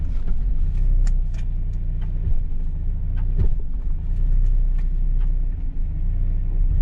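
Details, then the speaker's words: Mazda Miata with rear-end noise, clutch let out aggressively: engine rumble under load with a sharp metallic clang as drive takes up; backlash in the driveline, likely worn differential gear teeth. "oh yeah that big metallic clang some sort of backlash in the system either worn out gear teeth basically leaving play and gives you that clunk there it is"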